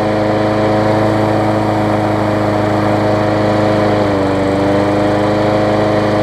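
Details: Bolens big-wheel mower after a new coil, cleaned contacts and a new sharpened universal 22-inch blade; steady single-cylinder drone with constant pitch, no thumping or wobble, running smooth on the new blade.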